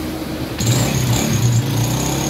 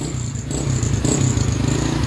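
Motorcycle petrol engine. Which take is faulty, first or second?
first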